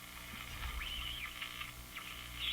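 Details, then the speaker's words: Canadian Crosley Model F-5 radio during capacitor replacement: a thin, wavering whistle drifts up and down over the station audio while tuning; suspected heterodyne from IF output (nominally 455 kHz) feeding back to the IF input, with decoupling capacitors the intended fix. "The frequency between them becomes audible and you hear it that kind of I can't I can't imitate it quite quite right. It's more of a whistly sound, isn't it? That's what we're hearing."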